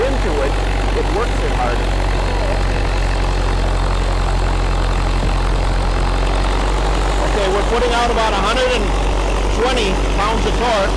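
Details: Freshly rebuilt 1931 Ford Model A four-cylinder on water-brake dyno; low steady even sound with no knocks, misses or rattles; normal running.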